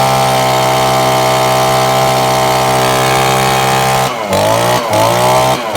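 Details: Old Echo two-stroke blower after repair and reassembly, started with a little choke: crisp steady high buzz, dips and recovers cleanly through quick throttle changes; running healthy.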